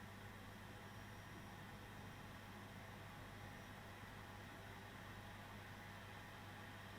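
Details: ECS Liva One H610 mini PC, Core i3 12300 in Cinebench 23 at ~4.2 GHz, 95 W boost, 68 °C: soft steady blower whoosh over faint hum, cooler ramping normally under load.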